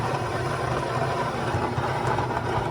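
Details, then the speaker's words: Stone grinder milling home-grown dent corn into grits on a final finer pass: low steady gritty rumble, no squeal, knock or labouring; grinder should run only 10 minutes at a time or the stones heat and the corn clumps. "You can only run my grinder for 10 minutes at a time because the stones will heat up and it will cause your grain or your corn or whatever you're grinding to start getting hot and clump."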